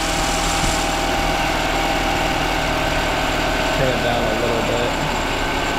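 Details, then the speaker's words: Older Honda 7.5/10hp four-stroke outboard (non-CDI) after fitting a new correctly gapped bottom spark plug: steady, even idle with both cylinders firing cleanly, no misses; idle initially too high from one-cylinder running. "All right, with that new plug, it's sounding a lot better, but now it's idling too high because it was running on one cylinder."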